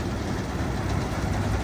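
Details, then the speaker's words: Massey Ferguson 300 combine, an old barn find: the diesel engine runs with a steady, even low rumble and no misses or knocks. The rattle comes from a loose feeder house needing tension; otherwise it is running smoothly. "But other than that, she's running pretty damn smooth."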